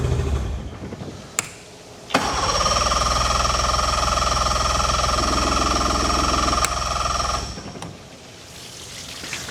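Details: Swapped outboard on a small aluminium boat, first start on the water supply after installation while fuel is being primed; later gives a good hot restart. Short crank, then raspy two-stroke buzz about five seconds that fades out: starts then dies.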